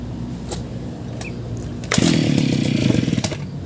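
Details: Brush cutter two-stroke engine that had been hard to start because stuck gasoline caused flooding; after a quiet patch it catches and revs into a steady, buzzy rasp, holding speed cleanly and running fine now.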